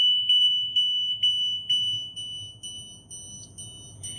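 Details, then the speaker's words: Freightliner-chassis Tiffin Red motorhome, key on, jacks-down beeper with rotating cover fully open: high piercing beeps about twice a second, growing quieter as the cover is rotated; warning beeper working normally. "So I left it open, turned the key on, and there's our loud buzzer."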